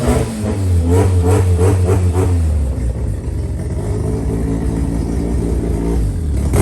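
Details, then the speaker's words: JDM Haruguchi FC Mazda RX-7 rotary, first start after sitting, with new battery, 98 petrol and fresh fluids: revs with buzzy even note, settles to steady idle, no misses or knocks; runs fine. "So there you have it. FC's running, going. Should be good to drive as well."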